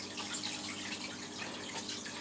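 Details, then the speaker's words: All Pond Solutions external canister filter running after priming: steady hissing wash of water with light irregular splashing and trickling inside; trapped air remains, cleared by lifting and shaking the filter until only normal pump buzz remains. "I don't know if you can hear it can he like trickling water inside"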